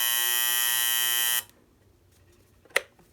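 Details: Copal model 229 electromechanical flip clock after cleaning and lubrication of its noisy motor: the alarm gives a loud, steady, high-pitched electric buzz that cuts off sharply after about a second and a half, working normally.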